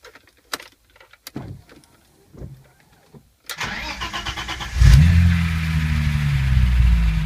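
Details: BMW M20B25 inline-six after intermediate shaft repair: handling noises, then the engine fires up and settles into a smooth, even low idle with a few light throttle blips. Normal idle.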